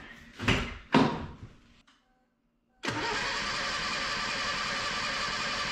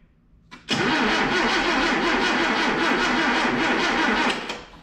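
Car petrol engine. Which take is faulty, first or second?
first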